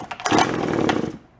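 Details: Japanese-made, landscaper-grade two-stroke found at a garage sale; the owner suspects the carburetor diaphragm has stiffened from ethanol fuel. After priming, a ragged burst of rapid popping lasts about a second, then cuts out. It fires but won't stay running yet.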